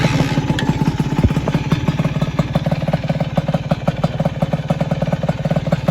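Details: Single-cylinder engine after a broken balancer bearing, with new ignition rotor and replaced nuts: even, loping idle at about two pulses a second, no knocks or rattles on top; healthy idle.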